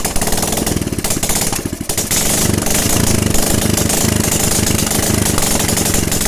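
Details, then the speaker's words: Normal running of a Honda Supra X 125/Karisma after repair for white exhaust smoke: quick thumping exhaust pulses settling to a steady beat after a brief dip; no more smoke. "motornya sudah bisa hidup kembali dan penyakit keluar asapnya tidak Hai ada ya"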